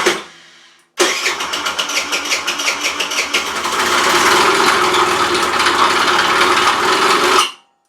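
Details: Rex RS500 Speed scooter after carburettor refit and fresh fuel, starting attempt: fast uneven metallic clatter, about three knocks a second, over rasping idle; owner suspects valves if crankshaft is fine, oil found very thin; source not yet found.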